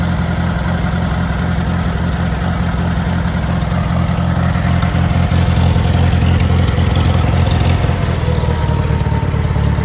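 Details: International Harvester 424 utility tractor, 4-cylinder gas engine with an oversized carburetor jet, cold and not up to temperature. Deep, even putter at idle, a touch rough but firing cleanly with no knocks or misses, with good oil pressure. Normal cold idle.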